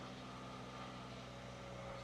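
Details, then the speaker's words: 2004 Toyota Corolla 1.8L, cold start with the check engine light on: a smooth, steady idle at about 1,800 rpm with no knocks. The cause of the high cold idle is unclear; the customer says it drives like a lawnmower. "It's sitting at about 1,800 RPM right now, which I don't know why it would be idling so high, to be honest with you."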